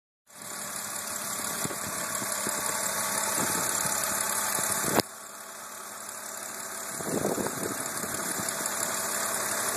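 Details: BMW Z4 E86 Coupé 3.0 Si: steady idle with a light, fast, slightly uneven ticking about four per second; engine ticking noise, origin unclear.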